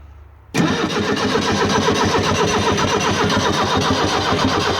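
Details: Abandoned Fiat Hitachi FH150 excavator diesel with reported engine problems, during a rescue start attempt: the starter churns the engine at a steady beat of about four pulses a second, but it never catches and runs; cranks but does not start.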